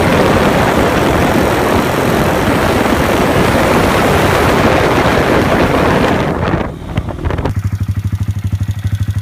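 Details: 2015 Honda Grom just fitted with a Takegawa 181 big bore kit and performance camshaft: busy clattering tick while revving, then rapid even top-end tapping at idle; valve lash suspected.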